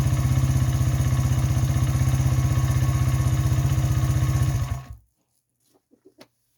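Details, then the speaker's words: Honda XR100 after a 120cc big bore kit, new carb, cam and air filter, float level corrected, 35 pilot jet, idle screw adjusted, kick-started: crisp, even single-cylinder thump, about four beats a second, steady, no stumbling; normal idle. "adjusted the idle screw and the idle speed a little bit and it actually seems to be running really well now I'll give it a kick so you guys can kind of see what it sounds like and how it idles"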